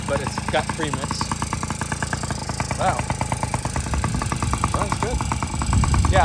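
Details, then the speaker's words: Yamaha PW50 two-stroke with brand-new top end, not yet broken in; steady crisp burble at idle, even beat with no misses or surging, a clean healthy idle after previously only pinging when kicked. "This is a brand new top end. I should probably let it break in first. Idles. Sounds pretty good."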